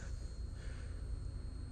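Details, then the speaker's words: Car with a non-starting engine, key in the on position: thin, steady high-pitched whine over a low rumble as the electric fuel pump runs and builds pressure, gauge climbing to about six; a fitting leaks slightly. "a fuel pump is running if you hear that high-pitched squeal i believe that's a fuel pump"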